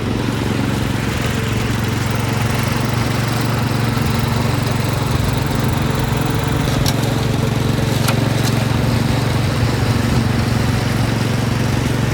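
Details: Massey Ferguson 7 lawn mower, long-sitting, running after carb mixture adjustment, driving; owner thinks it needs piston rings: steady single-cylinder drone at even speed, no misses or surging; normal running.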